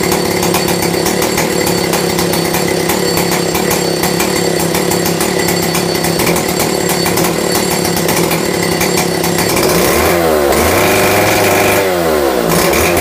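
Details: Stihl 070 chainsaw with 25-inch bar and new .404 chain, after a cold start: steady, even high-pitched two-stroke buzz with no misfires, then a couple of clean throttle blips near the end; running fine.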